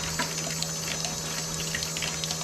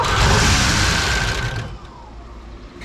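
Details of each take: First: Porsche 928, electric fuel pump draining old nasty fuel through disconnected line into bucket: steady high whirring hum with liquid gurgle, pump speeding up slightly; normal fuel pump operation. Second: Rare Porsche 928 cranks, catches briefly and dies twice, never holding idle; fuel rail only dribbles instead of the expected 38–42 PSI, a suspected blockage starving it of fuel pressure.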